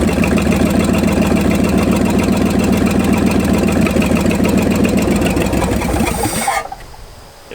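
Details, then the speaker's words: Ford F-250 V8 after 26 years parked, timing advanced about 12 degrees and points widened: runs only with full choke, lumpy beat fading and dying within seconds; lean mixture suspected, backing mixture screws out planned. "will not run without jokes though so I'm thinking is back the mixture screws out a bunch see what happens"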